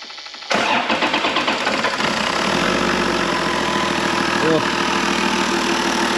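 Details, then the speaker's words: 2006 Toyota Land Cruiser GXL 100 series automatic, reportedly overheated, found with no oil in the engine: fires on the first catch and settles into a smooth, even idle with no knocks or ticks. "oh this engine had no oil in it oh well it starts it runs I'm happy so I'll deal with that tomorrow"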